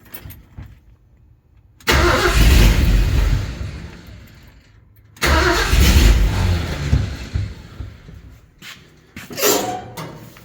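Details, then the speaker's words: Ford F150 with swapped 460 big block, carbureted, temporary ignition wire, full carb and coolant, second start attempt after tightening battery cables: two even cranking bursts that never catch; crank no start, owner wonders about lost spark or needing more fuel. "we maybe losing spark? Or do we just need more squirt?"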